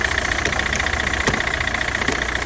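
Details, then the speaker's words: Citroen C5 diesel just after a hard start at about one degree: harsh, uneven clattering knock and engine rattle over a rough cold idle until it clears, blamed on petrol contaminating the diesel fuel. "So, you can see kind of the engine rattling."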